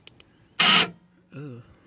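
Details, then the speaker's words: 2001 Jeep Grand Cherokee liftgate, panel off, locking attempt: harsh quarter-second buzzing grind then wavering whir as the lock motor strains and the gate fails to lock; owner suspects the lock actuator needs replacing. "so here it goes right now I'm going to lock it oh let me do that again that was an awful"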